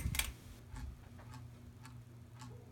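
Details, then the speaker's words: Hampton Bay Littleton 42-inch ceiling fan on medium speed: low motor hum with a soft tick about twice a second as a blade, bent from hitting the door, wobbles. Blades seem tight, but they are out of balance and vibrate noisily. "Second of all, the blades vibrate on medium speed. The blades make a pretty bad vibration noise now."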